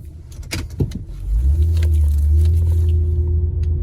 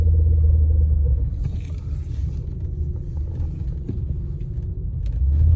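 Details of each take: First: Honda real-time AWD (CR-V/Pilot-type) in a slow tight parking-lot K-turn after rear differential fluid service: smooth steady engine hum, previous groaning/binding from the rear now gone. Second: Honda real-time AWD, rear differential fluid never changed: deep rapid rumbling chatter, about four pulses a second, swelling during tight turns and K-turns; rear diff clutch chatter from old fluid.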